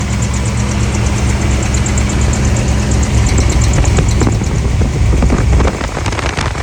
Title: 454 Squealing noise after new belts installed.